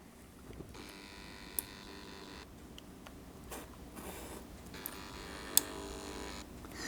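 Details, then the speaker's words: DCCconcepts Cobalt-SS surface-mount model railway switch machine, mounted on scrap ceiling tile, throwing the points by push button. Each throw gives two short, quiet, even buzzes of about 1.5 seconds; this is normal and much quieter than a Tortoise. "I want you to hear it does make a slight buzzing sound"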